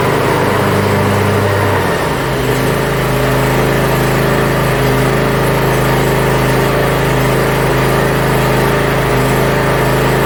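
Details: Yard Machines (MTD) budget 42-inch riding mower after new starter install and safety switches reconnected: steady single-cylinder drone with slight pitch shift as load changes, no knocks or rattles; transmission and deck functions checked, everything working properly.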